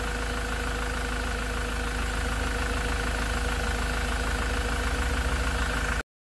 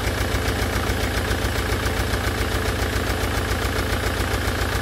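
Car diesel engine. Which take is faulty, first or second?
second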